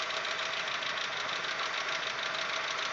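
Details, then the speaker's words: Audi 1.8 90 hp after cylinder head repair, on Lukoil 15W-40 oil: light, uneven ticking about once a second that grows louder and changes rhythm as the engine warms. Replacing the hydraulic lifters changed nothing; the noise periodically disappears. Cause unconfirmed. "мотор прогревается и начинает стучать громче периодичность тоже меняется"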